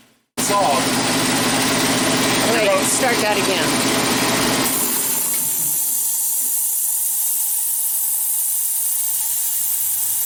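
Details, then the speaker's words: 5 hp air compressor after replacing a leaking check valve (earlier misdiagnosed as a leaking pressure switch): rapid, steady pumping clatter for about four seconds, then it stops and a long, even hiss bleeds the line to zero in 5–8 seconds. Normal pump-up and unloader release. "so when this shuts off that did what it's supposed to do you heard it go and took maybe five eight seconds and it went from uh it took all the pressure pressure in this pipe right here and drained it down to zero"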